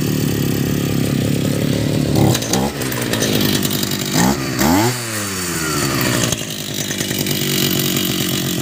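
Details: Brush cutter engine that had been hard to start because stuck gasoline flooded it: a raspy small engine at a steady fast idle that picks up crisply on each throttle blip and returns evenly; it runs fine.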